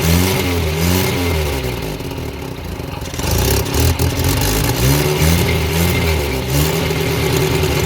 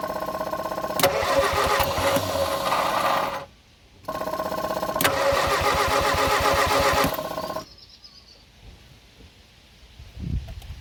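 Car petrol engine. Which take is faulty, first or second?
second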